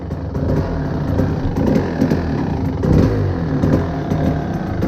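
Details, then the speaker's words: 1997 Kawasaki KDX220 two-stroke, started cold without choke, warming up: uneven idle sagging and surging, smoky, loading up and near dying; running too rich. "The engine is starting to warm up. Definitely smoky. Sounds like it's loading"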